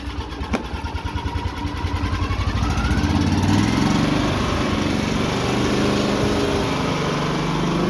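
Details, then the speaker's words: Firman 3200 inverter generator fitted with an added fuel pump, check valve and fuel filter for an extended-run auxiliary tank, side cover off so louder, started on the internal tank; pull-start catches, revs settle into steady even drone, no misses or knocks; normal running. "It's going to be a little louder than usual because the side cover is off. I'm going to start it up on the internal tank."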